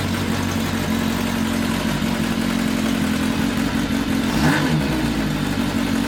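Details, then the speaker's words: Rebuilt 1982 Kawasaki 750 LTD four-cylinder on first start with temporary DIY air filters idles loud and a bit unsteady, with a brief rev blip. The engine runs fine, but the carburetors need a lot of adjustment. "it still needs a lot of adjustments so that still has to be done and uh but the engine in general uh is running fine so there are a lot of carburetor adjustments to be done"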